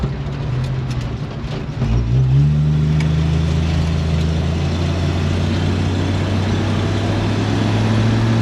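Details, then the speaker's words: 1946 Studebaker M5 pickup on a 1970–81 Camaro front subframe, after replacing squealing disc brake pads with Performance Friction pads: truck rolls, pulls away and stops well with a steady low engine drone and no squeal or grinding. "it's a thousand times better no noise whatsoever it stops good"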